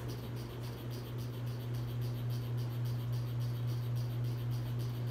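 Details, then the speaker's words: 42-inch Hampton Bay Landmark III Plus ceiling fan installed about 2011, on high speed: steady low drone with a fast regular throb, roughly three or four beats a second; fan is wobbly and loudest at this speed, though it moves a lot of air. "all right here goes hi this is both it's wobbly and it's loud of speed pushes a lot of air though I will give it that"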